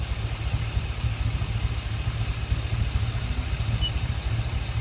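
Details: Chevy Express — low, lumpy idle with uneven thumps in the exhaust beat from a cylinder misfire; a clogged bank 1 catalytic converter was also found.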